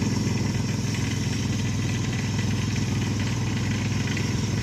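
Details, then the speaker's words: Ford Explorer engine after STP engine flush and Castrol Edge oil change, very dirty oil drained: loud, busy, uneven clatter over rough idle; owner suspects the timing chain, rattle later settles somewhat. Engine rattle at idle. "like I said it sounds real loud he hit a rattle he hit an engine roaring it up it's gonna settle down"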